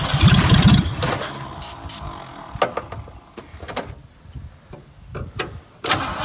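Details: Dirt-cheap 1974 Ford Fairlane that sat in dirt, started by jumping the solenoid, ignition still unfixed; engine catches roughly under a second after cranking, then dies into silence and clatter; runs only on starting fluid.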